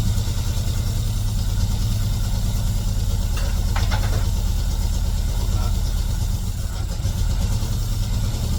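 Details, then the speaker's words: Classic Mini running for the first time in 12 years despite low compression: steady, even low engine rumble with no knocks or misses; normal idle after long storage. "Yes. That sounds so [ __ ] good. Oh, mate. Good for you, son."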